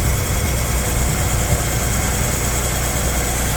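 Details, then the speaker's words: Swapped engine after its leaking water pump was replaced with one from the old motor; a smooth, even low idle with no knocks or ticks; no leak, timing good; normal idle after repair. "The car is started. No leakage. Like it was before, not leaking. Timing is good. Everything sounds great."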